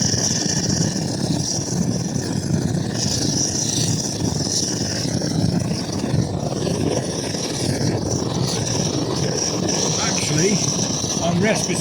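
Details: MSR Dragonfly stove during warm-up, first occurrence: steady loud roar with thin high hiss, flame over fuel blowing back instead of burning cleanly; owner suspects it needs service and jet cleaning.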